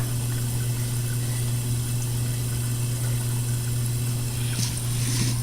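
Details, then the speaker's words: KitchenAid dishwasher after replacing the water fill valve (it had not been filling; pump and motor replaced three years earlier): steady low hum of water flowing in with faint hiss, filling normally, no leaks. "dishwasher's not running yet it's still filling so far no leaks that's a good thing let me give it a second or two sounds like i've got water in here now"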